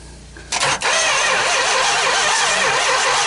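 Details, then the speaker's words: Mopar 440 big block V8, first start attempt in 23 years, starter wired direct: quiet, then harsh, rough grind as starter spins it over steadily; turns freely, not seized. "it's rough but we finally got it rolling over"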